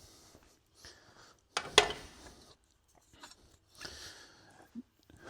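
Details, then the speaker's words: Used OBS Ford pickup door hinge, off a door or parts truck, tight with no slop, worked by hand: short dry squeaks and rubbing creaks, catches instead of a solid feel; lower hinge still squeaks. "It's just going to squeak and it kind of like catches like it's not just a solid um feel the whole"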